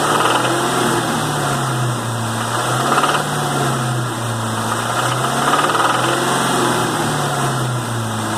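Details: 2001 Cobra 4.6 4V V8 with 78,600 miles, running at light load: a steady engine note with an uneven light knock about four times a second. The cause is not confirmed.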